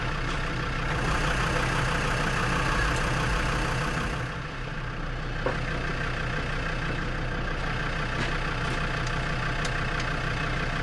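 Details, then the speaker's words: Perkins P4 diesel in a Lansing Bagnall Model A tug, long sat, first cold start: slightly uneven, lumpy idle with occasional misses; owner suspects injector trouble; oil pressure is good; engine misfire. "there you go guys a right a run y move missing a bit having inject of trouble not smoke"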